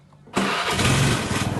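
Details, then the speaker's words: Automatic scooter that wouldn't electric-start, after replacing the starter switch cable and brake switch wiring, brake lever pulled: a quick starter whir, then it catches at once and runs evenly. Normal electric start. "sekarang sudah bisa kita starter Hi Ho"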